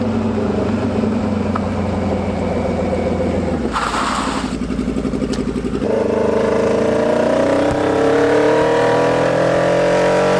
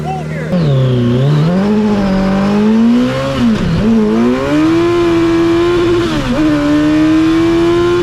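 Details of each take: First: Hayabusa-swapped 1970s electric CitiCar (11,500 rpm redline, about 155 hp), first drive under load: engine drones but pulls flat and lumpy with no power despite cleaned injectors, new plugs and fuel pump. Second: Hayabusa-swapped 1970s electric CitiCar after changing fuel-smelling oil: revs climb cleanly, drop on lift-off, then pull strongly again with no misfire; normal acceleration.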